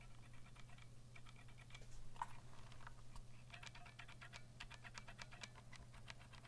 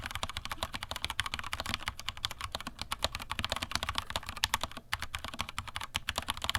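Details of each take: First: Vortex Cypher keyboard with stock Cherry MX Silver switches, typing test: sharp uneven key clicks over a low hum, some with a faint metallic ring and scratchiness; spring ping from unlubricated switches, lubing springs and stems suggested. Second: Vortex Cypher keyboard, stock Cherry MX Silver linear switches, stock keycaps without o-rings, microphone moved down, bottomed-out typing: quick crisp clacks with no ringing or metallic ping after strokes; normal typing, no spring ping.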